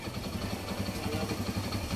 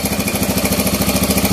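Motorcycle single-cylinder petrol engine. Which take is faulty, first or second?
second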